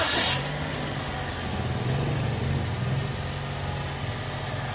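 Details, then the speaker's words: Toyota Vios, nearly 100,000 km, after repair (drive belt work and new spark plugs): engine starts and settles into a steady quiet idle; the earlier whistle or squeal and rough running on startup are gone. "Okay na siya sabi nga ni customer wala na yung ingay niya tahimik na onong makina niya dati daw kasi everytime magi-start siya magaspang daw itong andar ng makina na tapos yung bet niya sumisip pero ngayon okay na okay na daw siya"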